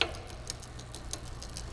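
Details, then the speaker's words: Magnum Navigator e-bike, cable tightened with the barrel adjuster: light ticks about every 0.6 s over a low hum as the chain skips on the rear cogs. Shifting makes it worse; the fix is cable tension adjustment. "Now you can hear a skipping noise, and the shifting will make the noise worse. That simply means that the cable may be too tight or too loose."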